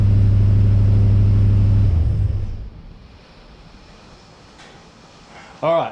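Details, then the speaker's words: Ford XG ute with a newly installed V8 at first start, fuel pressure 6 psi: rough, lumpy, heavy beat at about three pulses a second; misfire because one bank's spark plug leads were disconnected, so it ran on four cylinders, fixed by fitting them. "you believe that was four cylinders it was running that good on four cylinders i thought yep definitely it's got a miss"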